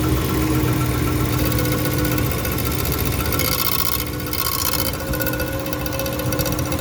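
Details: About 10-year-old 2011 Ram, cold idle: uneven metallic rattle and scrape about three times a second; bent transmission-engine inspection/access plate, missing edge bolt, rubbing flexplate, not torque converter bolts; fixed by bending plate back.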